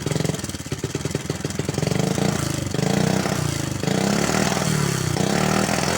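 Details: Honda Supra X 110cc (engine code JN5), daily hauling use, rarely changed oil, frequently fouls spark plugs: catches and revs with an uneven, clattery beat over the exhaust; rough noisy engine, cause not yet confirmed.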